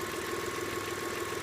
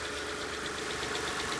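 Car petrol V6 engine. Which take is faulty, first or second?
second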